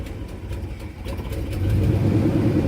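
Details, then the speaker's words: 1989 Avanti convertible, cold engine: idle sags low and rough with vacuum gauge dropping, then recovers without throttle; smooths out once about 160°F; cold idle stumble. "And it picks up. And you can watch the vacuum gauge. And the vacuum gauge drops right down. I'm not touching the gas. And it picks back up."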